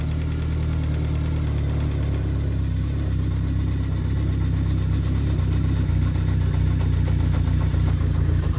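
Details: Kawasaki GPZ750 Turbo, started cold after sitting about two months, choke then off: low, steady rumble with an even beat and no knocks or rattles; idles smoothly, though it smokes a little.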